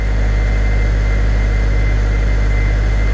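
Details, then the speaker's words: Honda project car, cold start after replacing suspected faulty idle control valve: steady even idle around 1500 rpm with faint constant whine, MAP steady, no misses; normal cold fast idle slowly coming down. "Map steady, nice and steady. All looks a lot better, looks a lot more promising. The idle is slowly coming down now."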